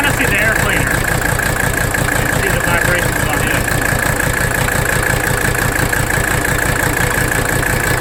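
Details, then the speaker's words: 1985 Mercedes 300D diesel in drive with the parking brake on and the AC running, while the rack damper bolt is adjusted; diesel clatter with a lumpy, wavering beat; rough idle, cause not found. "What I'm doing now is just bottoming the nut out. We're going to make our adjustment to idle. You see that? Watch. You hear it in the engine too. Really rough."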